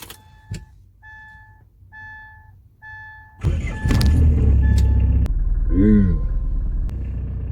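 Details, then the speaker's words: 2004 Hyundai Starex 9-seat diesel van, about 90,000 km claimed though interior looks like 250,000 km, just started: chime, then loud, heavy, clattering rough idle likened to a tank; engine likely needs repair, cause unconfirmed. "들리시나요? 탱크 소리가 나는데요."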